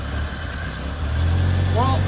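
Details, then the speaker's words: Squarebody Chevy K10 inline six with a one-barrel carb and broken choke, started after sitting five months, heard at the tailpipe: a low, lumpy, uneven idle with black smoke; the owner suspects it runs rich and needs a tune-up. "the whole inline six definitely could use a tune-up and she's shooting black smoke there so definitely probably running a bit rich and could use a tune-up"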